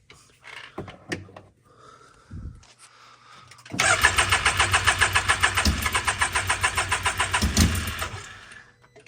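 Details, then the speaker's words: Can-Am X3 after a turbo swap, with fouled plugs quickly cleaned and refitted: some clicks, then about four seconds of rhythmic cranking at roughly 3.5 beats a second that never fires. Still undiagnosed. "Put them back in, and we're still getting the same thing. It just cranks and won't fire."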